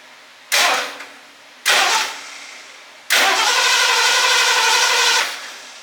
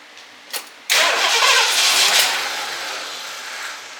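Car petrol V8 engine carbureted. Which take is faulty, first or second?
second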